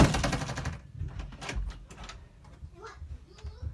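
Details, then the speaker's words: Door hinge after a few drops of silicone lubricant were worked in: the door swings with only soft clicks and thumps, and no squeak. "no more squeak"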